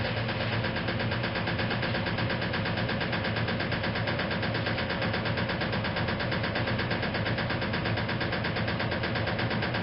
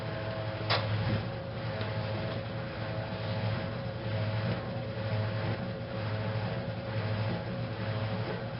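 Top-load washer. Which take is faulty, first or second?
first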